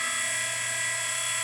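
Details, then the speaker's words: Henderson Precision Gen 3 case trimmer during assembly, depth bolt pre-installed: steady high whine with faint buzz, pitch level, no catches or grinding; motor and cutter head running nicely. "So that's running pretty nice."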